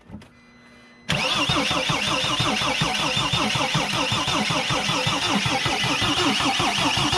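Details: Mercedes Sprinter diesel after new fuel tank and pump, pump connector reconnected: steady rapid cranking about two and a half beats a second, never catches; bubbles seen at injector, air in fuel lines suspected, battery weakening; no start.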